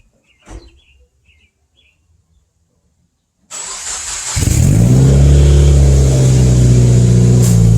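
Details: 2015+ Subaru WRX first start after installing budget CNT Racing headers and reassembling the J-pipe and exhaust, half a quart of oil added; catches and settles into a smooth even idle with deep exhaust tone, no leak ticking; normal start and idle.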